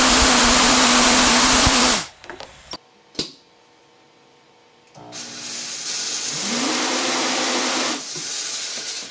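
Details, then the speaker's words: Compressed-air pneumatic hand dryer: loud airy rush with a humming tone climbing from about 200 to 250 Hz as flow rate rises; low-frequency oscillation believed caused by the two intersecting air jets, frequency increasing with flow. "there seems to be a very low frequency oscillation at this low uh at this low flow rate"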